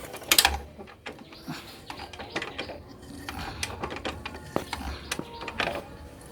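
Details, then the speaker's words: Sharp, uneven metallic ticks and clicks over a quiet idle from the open head of a bike engine. The rocker arm's bearing and contact face are worn, so the rocker arm wobbles side to side. "සද්දේ හේතුව තමයි මෙතන රොකර් රෑම් එක තියෙනවා රොකර් රෑම් එකේ මේ රේසර් එක ගෙවිලා"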